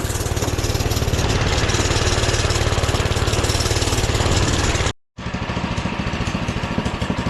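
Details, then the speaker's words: Doodle Bug minibike at full throttle under load uphill: small single-cylinder pops along slow and laboured, never picking up revs; idles great, runs and drives but has zero power; owner considered changing jets; bogging from choke left on. "I don't get it boys idle's great runs drives zero power literally zero power"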